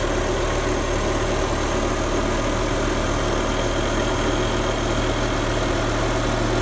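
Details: BMW E60 M5, S85 V10 (507 hp) with SMG 7-speed, warmed up, engine and exhaust sampled for comparison with loud cold start: smooth, deep, even idle with steady beat, no misses or ticks; healthy warm engine.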